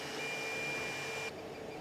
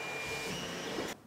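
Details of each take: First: Creality CR-10 3D printer after Noctua hotend fan and stepper motor vibration dampeners, printing: very low even hum, faint fan whir, occasional soft axis move; X and Y nearly silent, Z axis, control box and part cooling fans still audible. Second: Stock Creality CR-10 3D printer printing, shotgun microphone aimed at it: loud steady hotend-fan hiss with thin stepper whine, louder at higher print speed, then near silence; the fix is a Noctua hotend fan and stepper vibration dampeners.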